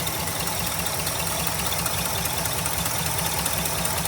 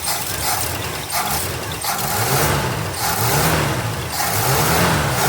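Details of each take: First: 1966 Ford Galaxie 500 390 FE V8, first fire after a new 4-barrel intake and carb swap, smoking: the idle has a loose, uneven ticking about 2.5 per second, heard on the driver's side only. Cause unknown; a vacuum leak is also suspected. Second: 1966 Ford Galaxie 500 390 FE V8 after a 4-barrel carb and intake manifold swap, first fire, still warming up and smoking heavily: climbs smoothly through quick throttle blips and settles back cleanly; healthy throttle response.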